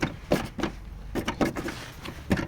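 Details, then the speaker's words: Toyota Land Cruiser Prado 150 while driving, rear driver-side wheel: irregular bursts of light plastic clacks and rattles carried into the cabin. The plastic wheel arch liner is loose and flapping in the wind. "подкрылок пластиковый ветром болтается передает все в салон"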